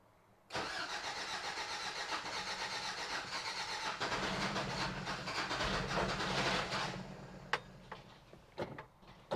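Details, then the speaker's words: 1993 Toyota Pickup, parked for suspected timing chain or head gasket issue, weak battery: long cranking with uneven firing that catches, stumbles and dies; hard starting, owner suspects distributor a tooth off. "all right hopefully there's no battery left in this thing cuz it sounds like it's about to die oh it's definitely trying"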